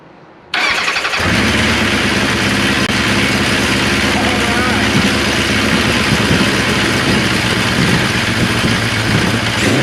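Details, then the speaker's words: 1974 Kawasaki Z1 first start in years after carb and wiring work, a little choke and a couple pumps of old gas: catches at once and holds a loud, steady idle; carbs feeding fine, wants to run. "Alright, YouTube. You guys heard it. It wants to run. I believe we got a good runner here now."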